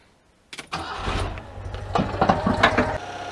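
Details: 1992 Oltcit with carburettor and fuel issues, after cleaning the starter solenoid cable contact and splashing in fuel: cranking catches, engine fires and settles into an uneven but running idle; starter working, fault intermittent.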